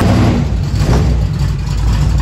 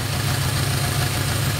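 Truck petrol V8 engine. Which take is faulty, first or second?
first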